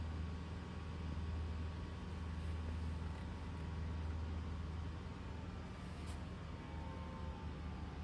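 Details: 2024 Toyota RAV4 SE in EV mode, fully charged, cold day, heater on: heavy steady low drone with faint whine from under left side of hood; owner likens it to heat pump blades hitting something, loud, whole-car vibration.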